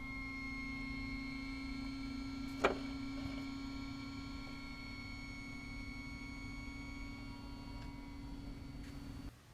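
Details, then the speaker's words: 2019 Chevy ZR2 diesel, Diode Dynamics LED low-beam headlight, engine off, camera behind headlight: quiet, steady low hum with faint whirr from the bulb's cooling fan; normal fan running. "You'll hear the fan motor. If the engine's not running, you can hear the fan motor behind the headlight"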